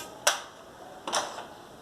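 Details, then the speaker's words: Epson L210/L310/L355 printer after reseating a dislodged tensor that caused a noise or squeal at startup and all lights flashing: two brief clicking carriage sweeps, left then right, with no grinding. Normal initialization. "vemos el carro desplazándose a izquierda desplazándose a derecha se esta inicial izando"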